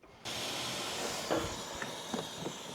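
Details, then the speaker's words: Porsche 996 Turbo, 23 years old, 150,000 miles, intake pressurised in a pressure test: loud steady air hiss with some knocks on top of the engine; boost leak from loose throttle-body intake clamps and a split vacuum hose. "immediately upon adding air pressure to the system I could hear a massive leap right on top of the engine so time to lower the engine again you can hear all the air escaping right here in this"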